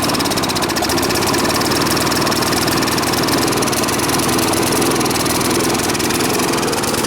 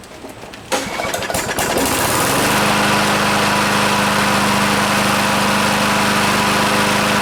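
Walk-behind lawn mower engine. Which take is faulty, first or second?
first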